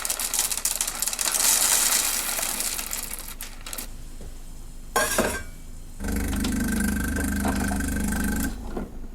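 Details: Old Saeco Vienna Trevi Chiara espresso machine after disassembly and reassembly. Its ground-coffee doser had been clicking nonstop at power-on, then the fault vanished. A few seconds of rough grinder rasp, a pause, then a steady pump hum while brewing; it works normally.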